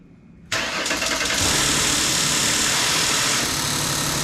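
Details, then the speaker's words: 2008 Ford Explorer 4.0 SOHC at first start after timing-chain replacement and engine reinstall, cooling fan not yet connected: the engine fires, then the idle wavers and hunts. A vacuum leak is suspected; it sounds better than before. "yeah we got a vacuum leak or something somewhere i'll find it but it sounds a lot better than it did"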